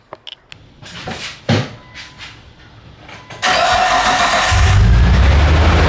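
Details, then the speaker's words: Nissan R34 cranking briefly into a rough, uneven idle with an irregular stumble; coil on cylinder four from the front gives no spark. Ignition coil misfire. "this is the one it was cylinder number four from the front I'm going go ahead and swap it up for the one in the very very front and we going to see"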